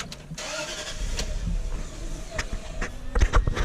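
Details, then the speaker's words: Range Rover L322 4.4 V8 petrol, fuel pump switched off: engine stops quickly, then starter cranks steadily with a few uneven coughs but never starts; restarts once pump is turned back on. Crank no start from no fuel delivery. "the answer is it stops really fast and then it won't restart almost like it ran out of fuel almost like the fuel pump was dead"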